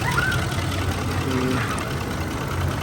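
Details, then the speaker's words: Ford F-150 with a 5.4L V8, on the road after replacing the cylinder 8 ignition coil: a low, even rumble with no stumble or skip after about 20 minutes of running. The engine runs smoothly. "Así quedó la Ford ya en la carretera se siente muy muy muy muy suavecito todo parejito sin ningún problema"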